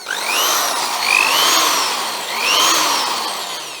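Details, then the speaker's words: Vintage double-insulated Skil electric drill on test after passing the electrical check: smooth motor whine rising and falling evenly with the trigger, no grinding or rattle. Gearing is hard to turn by hand; it runs healthy. "that sounds pretty good too now this was one that yeah it's very hard to turn in fact you can't really turn it it just the way that it's geared so that sounds pretty good again"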